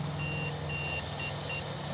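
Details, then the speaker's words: IL Goblin Raw 700 RC helicopter: four short high beeps about half a second apart over a low hum and fan, the speed controller's normal startup tones once the second battery connects. "You hear those beeps? There you go. You could hear that fan."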